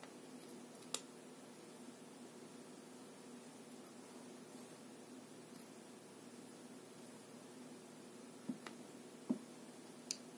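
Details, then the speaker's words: New 350W toroidal transformer rated dual AC 26V but measuring 24V, heard while the white output wire is wiggled: faint hum with sharp irregular clicks and loss of contact; poor contact on the lead suspected, not confirmed. "он слышно вот такой щелчок на себя и свою же не показывает тут толчок и уже нет контакта"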